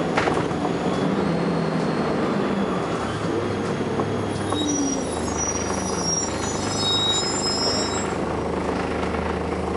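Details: First Manchester Volvo B10BLE bus 60403 (S670SVU), recorded 30 May 2011, while driving: faint high-pitched whistling tones drift in and out above engine and road rumble; source not obvious.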